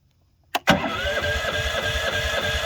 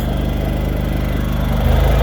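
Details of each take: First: Champion 8500 W dual-fuel propane/gasoline generator: starter spins about three seconds with even compression beats but never catches because the fuel supply wasn't turned on. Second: Champion 8500 W dual-fuel generator running on propane after starting: steady, even low drone with smooth firing beat, no knocks or surging; runs cleanly.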